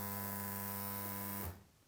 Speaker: When the unit starts working, you'll hear the unit start making a noise to produce water.